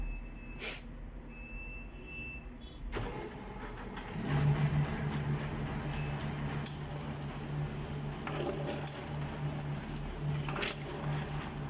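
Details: HP LaserJet P3005 after gear repair fixing gear noise and paper jams from slipping gears: a click, then motor and rollers run with an even hum and soft regular ticks, no grinding, while printing a configuration page; printing normally.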